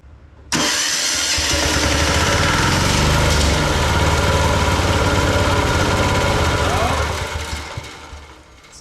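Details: Old military Yanmar diesel compact air compressor, first start after fuel system overhaul, new air filter and compressor oil, exhaust nut removed: catches and runs rough at about three and a half beats a second, then sags and dies within eight seconds, cause unknown.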